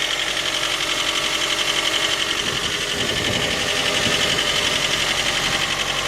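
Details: J20A engine, 2010, cold idle: sharp regular metallic knocking about four per second. Began at about 10,000 km and worsened after oil changes; valve clearances, compression and oil pressure were normal. Cause: scored crankshaft journal, cylinder 3; short block replaced.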